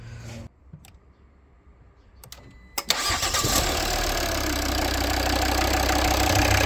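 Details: 2011 Volvo V60 D3 automatic diesel, crank-no-start with single click, battery fine; starter fed directly bypassing fuse built into positive battery cable: clicks, short crank, steady even diesel idle; faulty cable fuse confirmed.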